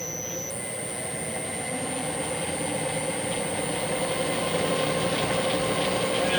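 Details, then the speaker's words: Clausing 5900/6903 14-inch metal lathe variable-speed drive after crosshaft repair, spindle not engaged, running slow: dead quiet, steady hum with faint clean whine rising, no knocking or grinding, far quieter than before; normal running. "I don't know if you can hear it but that is dead quiet not even anything close to how it used to be"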